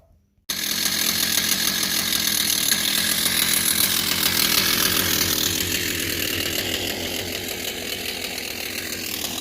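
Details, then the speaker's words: Kawasaki TJ35 brush cutter after fixing a power bog by clearing a carbon-blocked exhaust port and servicing the carburetor: high, clean two-stroke buzz that catches at once and holds steady without bogging; normal running. "So we basically put everything back together, and as you can hear, it runs a lot better than what it was before. So the main issue was the exhaust port was blocked out with carbon deposit, and the carburetor needed servicing."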